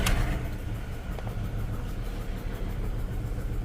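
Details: Skoda Fabia, engine running rough with check engine light and dead-cylinder fault on cylinder 1 after swapping plugs and coils: lumpy uneven idle with steady missing beat; one cylinder dead.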